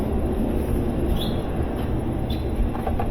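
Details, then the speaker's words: GE washer in test-mode spin: two squirts of water, lid locks, then a deep, rough rumble with a gritty grind from worn-out tub bearings; gearbox also failing, not worth repairing. "So, the first thing you're going to hear are two squirts of water, then the lid locks, and you hear that grinding sound. That grinding sound means that the bearings on this machine are shot. It's not going to be fixable."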